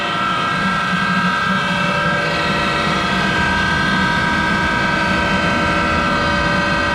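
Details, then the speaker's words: Monarch 10EE lathe, about 30 years in service, with its motor-generator started by hand because the switch coil is not working. A loud, steady drone with a gritty whirr and several fixed tones comes from very worn motor-generator bearings that need replacing. "Okay, that started the motor generator, and you can hear those bearings are very loud."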